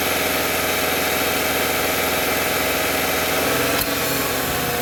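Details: 2013 Subaru XV, 66,867 km, customer reported a loud AC compressor, evaporator replaced two years earlier: constant hissing rattle with faint whine over steady idle; the compressor leaks internally, with seepage found inside, and was replaced.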